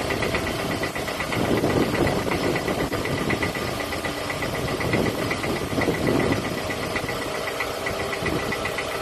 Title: Piston slap noise on Toyota Camry 2007 2.4 engine ACV40